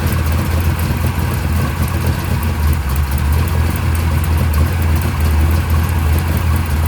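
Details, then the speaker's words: Mopar 580 stroker V8 first startup on run stand, mufflers fitted, timing 33 degrees, about 1,400 rpm fast idle, 65 psi oil pressure: deep steady even burble, no knocks or misses; healthy. "I got the timing on 33 right now. It seems pretty happy. We were about 1,400 RPM. Those mufflers definitely chill this thing out."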